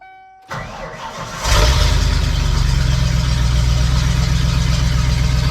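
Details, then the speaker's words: 1993 Ford F-150 with swapped 351 Windsor V8 after reassembly: short crank, catches at once, settles to steady even idle with good oil pressure; starts better than before, and throttle response then proved fixed. "Better than it did yesterday. I love the oil pressure it's making."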